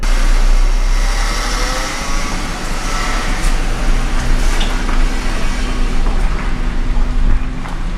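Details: 2004 Ford Mustang idling outside after fuel pump replacement, oil pressure and temperature good, possible valve cover seep; smooth even low rumble, steady speed, no knocks or misses: normal healthy idle.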